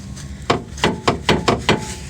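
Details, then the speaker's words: 2007 Dodge Caliber: loud metallic clunks from the front suspension, about five in two seconds; sway bar brackets likely broke off, the subframe rotted through, leaving nothing to attach them to. "so i'm guessing uh the sway bar uh brackets just gave up the ghost and broke off and there's really nothing to attach them to at this point"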